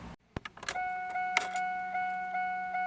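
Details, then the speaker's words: 1993–2002 fourth-generation Camaro after fuel filter change, fuel pump fuse reinstalled, key clicked on several times to prime: steady, fairly high electric hum from the rear fuel pump, pulsing gently about every half second. Normal fuel pump priming. "When you click it over, you'll hear the fuel pump buzzing in the back. So we're just going to click the key over a few times."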